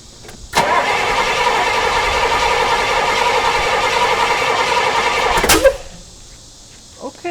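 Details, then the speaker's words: 1968 Pontiac LeMans that sat 23 years, cranking on first start attempts with fuel in the filter and fuel poured in: several seconds of steady cranking nearly catching, ending in one sharp backfire pop; spark earlier suspected lacking, choke up. "it backfired no for [Applause] it are we getting any fuel so it definitely backfired"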